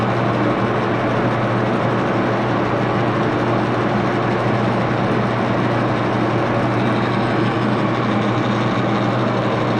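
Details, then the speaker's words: Axelson lathe after tightening rear Timken spindle bearing pair, run at very slow speed: smooth constant low hum with even gear whirr, no knocking, rumble or grinding; headstock running healthy. "I'm going to start the lathe and run it and I'm going to start it on a very slow speed okay we'll be back"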